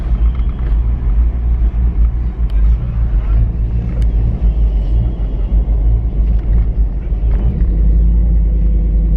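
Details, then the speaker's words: Old vehicle with 171,000 on the odometer on a drive around the block: heavy low rumble with sharp pops, coughing and backfiring through the intake; owner says ignition timing is off, part of the problem. "cough, backfiring through the intake, timing's off. That's part of the problem."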